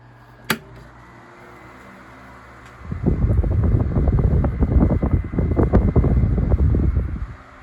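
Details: Tatung 12" oscillating fan LC-12, possibly late 1980s, after cleaning with compressed air and oiling the wicks (motor never opened): a soft, even rush of air with a light flutter, no grinding or knocking. It oscillates slow and smooth and runs fine.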